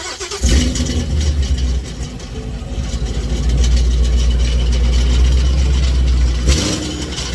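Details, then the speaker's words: 2019 supercharged Mustang with headers and stock mufflers, after one to two weeks on a decel burble-and-pop tune: starts to a lumpy idle with a tinny, buzzing rattle over the exhaust drone. Damaged baffles rattling inside the resonator. "sounds like the baffles and the components inside of the suitcase are rattling because the ping did a lot of rapid expansion and contracting based on the d cell burble and pop tunes by my exhaust is literally damaged"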